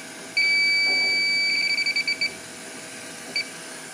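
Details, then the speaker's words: Walk-in cooler with the system pressure lowered to 10 psi: electronic detector jumps to a steady high shrill tone, then chirps in quick bursts as the probe moves; refrigerant leak found on the evaporator coil, not where first suspected. "sounds like it's right in that area so you got right there finally found it had to take it down to 10 pounds of pressure to get it but it must have been bouncing the noise off of here"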